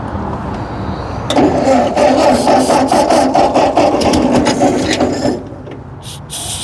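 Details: Ford 8N tractor, still 6-volt, abandoned eight years in storage and started on ether. It catches and runs ragged, loping irregularly, seemingly on only two or three cylinders, then falters before picking up. Oil pressure later reads 20–25 psi.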